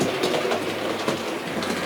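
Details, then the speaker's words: Bachmann A.H. Peppercorn model locomotive after replacing wheelset with split main drive cog and correcting quartering, running backwards: light even ticking and whirr, no clonk or binding; runs smoothly. "but you can hear now it's running absolutely perfectly"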